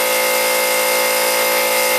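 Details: Harbor Freight 125 psi compressor on two parallel run capacitors replacing 140MFD original: steady high-pitched mechanical drone with even pump rhythm near full pressure, healthy, close to 125 psi cutoff; regulator set around 120; caps stayed cool afterward.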